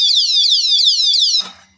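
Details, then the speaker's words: Bigniu BGX disc brake lock alarm: after three warning beeps on movement, loud high warbling siren sweeps up and down for about 10–15 seconds, then cuts off abruptly when disarmed with the key. "So then if they continue to mess with it, here's what the alarm sounds like. Hopefully this works. There it is. See, it only lasts about 10, 15 seconds."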